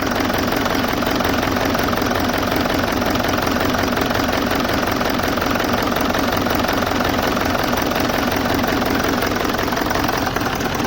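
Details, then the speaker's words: BMW E65 4.4d V8 diesel (242 kW, EDC16C31 ECU) at idle during an injector check with one injector connector pulled. The idle has an uneven chuffing beat of about three a second and runs rougher with that injector cut, so that injector is working. "yes it's changing the engine work so that means that injector is correct"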